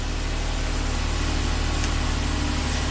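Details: 2010 Nissan Maxima idling with lights on after a dealer reman alternator replacement for a charging problem: steady, even, smooth idle with no knocks, squeals or belt chirp; alternator putting out, normal idle.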